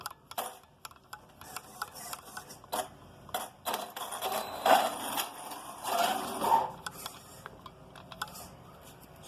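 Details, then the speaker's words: Arrma Talion 6S BLX RC truck with Hit 70 high-speed gearing (22 pinion). Sharp, irregular snapping and popping from the front end with no steady rhythm; the front differential is failing. "The front diff is going. Like, listen to this. You can hear that snapping and popping right there in the. It's coming from the front."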